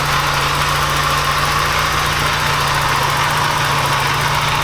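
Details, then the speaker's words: Porsche 944 after an engine swap, after a gasket fix: smooth, even idle with a steady low rumble, no ticking, knocking or stumbling. No longer sounds like it runs on three cylinders. "maybe in the AC though that sounds a lot better since we fix the gasket doesn't sound like it's running on three cylinders anymore"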